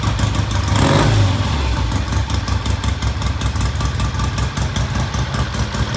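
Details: Vintage British motorcycle, idle mixture set by finding the midpoint of the lean idle drop: steady, slightly lumpy low thumping idle at about two and a half beats per second, even and settled.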